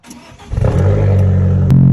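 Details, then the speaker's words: Abarth 500 turbo first start after fitting a bigger turbo, with coolant just filled: engine cranks and catches, then holds a steady fast idle that steps up again; idling quite high. "Got the old trusty, idling quite high."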